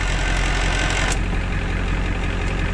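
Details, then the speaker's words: 1990 Ford F250 7.3 IDI non-turbo with new clutch and solid flywheel replacing a failed dual-mass one, idling in neutral, clutch released, heard inside with door closed: coarse continuous gear rattle under a steady diesel idle. "we'll start it up so you can hear just how loud the gearbox is [Music] this is inside door closed this is the sound as the clutch pushed in the sound of the clutch released in the neutral"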